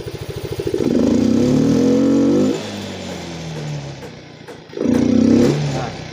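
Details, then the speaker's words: Yamaha Mio M3 125 injected scooter, sluggish, kick-started due to weak battery, injector cleaned, fuel pump and TPS normal: revs climb unevenly with choppy stumbling pulse, not rising immediately on throttle. "Jadi, ketika saya menambah kecepatan, menarik pedal gas, suara mesin atau RPM tidak langsung meningkat. Ia ragu-ragu, seperti sedang gagap, teman-teman."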